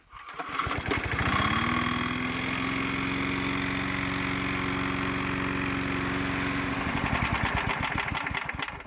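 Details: Free Briggs & Stratton Artisan 22-inch walk-behind mower after the recoil starter was fixed, the blade sharpened and cleaner squirted in. It catches after a pull, settles into an even, steady putter for about five seconds, then shuts off cleanly; it runs fine.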